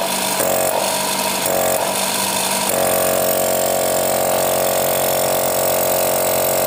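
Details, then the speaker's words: Used air compressor running while its intake filter opening is blocked by hand: even, rapid piston chugging with a shifting intake note and strong suction felt at the hand, showing the pump still performs well; motor restarts normally after a manual switch-off. "Nah teman-teman tadi bisa lihat atau bisa mendengar suaranya ya ketika lubang filternya ini saya tutup jadi terasa di tangan kita itu sedotannya kuat Nah itu tandanya performanya masih bagus"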